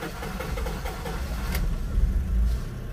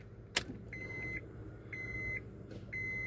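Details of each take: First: Honda CR-V: long rough cranking, the engine barely catches with uneven low thumps then fades and stalls; hard starting, fuel pressure checked. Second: Honda CR-V with hard starting and stalling: after a temporary glue repair, four dash chimes, then it cranks and catches at once, settling into a steady run; normal start.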